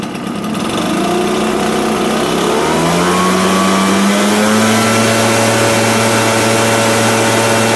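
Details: Echo PB-770H backpack blower, which had been dying after 10 minutes in 100-degree heat, runs after a carburetor change and air gap reset to .015; it picks up smoothly from idle to a steady high buzz with an even pitch, no surging or stumbling.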